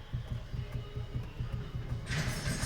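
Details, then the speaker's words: Fiat Strada 2023 new line, steering wheel worked back and forth: dull low knocks three or four a second, mimicking a bad strut mount bearing (mounts found fine); traced to play between steering column and steering rack. "a gente fuçando bem achou Aqui o barulho entre a coluna de direção e a caixa de direção vou est mostrando para vocês ver se você consegu escutar tá vendo a a folga"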